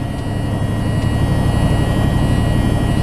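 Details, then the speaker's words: Flatbed semi making a sharp turn: thin steady high buzz over deep engine rumble as the air valve dumps the rear trailer axle to pivot on the front axle; normal. "it uh the little buzzing noise you hear that's to drop the air out of that rear axle cuz around these sharp turns what that does is it'll pivot that trailer on the front axle there"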